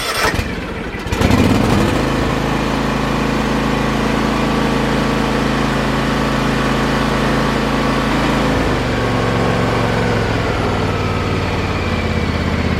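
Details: John Deere X324 four-wheel-steer mower that had sat unused as a no-start, with the fuel pump reconnected and throttle and choke full up: a brief crank, then it catches fast into a smooth, even run. Normal start and idle.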